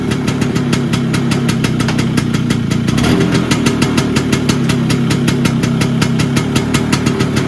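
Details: Vespa PX 125 with 177 kit, restored engine (new bearings, seals, piston, rings, lapped cylinder), 2.5% premix, first start after a year: crisp even two-stroke popping at steady fast idle, no knocks or rattles; owner says idle needs adjusting; normal idle.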